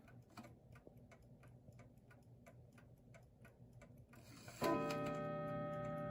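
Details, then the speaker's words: New Haven Clock Company Horace model that has not been oiled in a long time: steady tick of about three beats a second, then a bright strike in quick, crowded blows; the strike runs too fast. Cause unconfirmed. "wow I don't have one like this glad I bought it that's the quickest strike I've ever heard"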